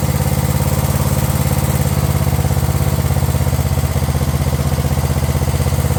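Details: Craftsman LT1000 riding mower/tractor idling steady and even with a regular low thump, no misses or surging, after swapping the aftermarket carb for a previously rebuilt carb; it now runs properly.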